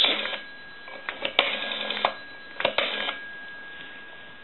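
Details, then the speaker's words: Northern Electric Galion rotary desk telephone during checkout after repair: dial runs back with light clicking pulses and faint bell tinkle over steady dial tone; normal rotary dial operation. "I'm going to end in a two and I'm going to dial a little and you might hear the bell tinkle a little bit which gives it a little extra added sound effect"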